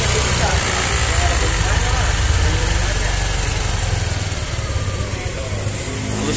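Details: Yamaha Aerox 155 scooter at idle, warmed up, after servicing: low, even putter with soft steady beat, no knocks or rattles; normal idle.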